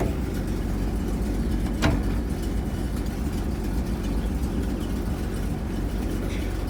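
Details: 1975 Bedford CJ at a rough low idle with a rapid, raspy puffing chuff on every firing pulse. Finding: a nasty exhaust leak.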